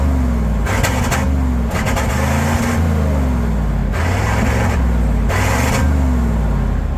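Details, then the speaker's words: Resurrected V8 tow truck, under 3 minutes after a fix: low rumble wanders and lumps with periodic rough surges instead of settling; running rich, over-fueling, owner avoided buying new injectors. "Things been running less than what, 3 minutes? I came up here to drop off some wheels, it's already back to doing it again."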